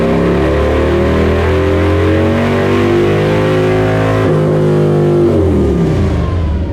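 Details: Harley-Davidson Lowrider S, Milwaukee-Eight 131ci Stage IV kit, stock compression, Cycle-Rama 512 cam replacing Screamin' Eagle 517: full-throttle dyno pull, deep V-twin roar climbing steadily in pitch, clean and even, no misses; made about 147hp and 149ft-lb, normal.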